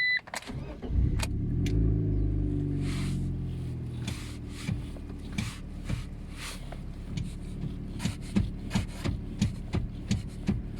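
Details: Car with a common power steering fault, warning showing at ignition: engine cranks and catches, then a steady idle with sharp clicks about two or three a second; fault light goes off after starting.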